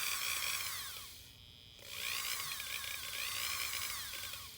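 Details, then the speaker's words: Dremel rotary carving tool at low speed on an add-on speed controller: high whine that sags and climbs back in pitch, briefly dropping out; motor speed surging at low speed, fine at high speed. "kind of surges at low speed you can still hear it doing that once you get the high speed it's fine"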